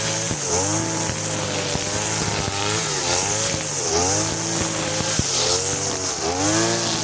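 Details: Side-mounted brush cutter running the blade setting of the carburettor mixture screw but fitted with nylon line, cutting short grass: high buzzing two-stroke sags and recovers at each bite, pitch dropping under load; runs but lacks power.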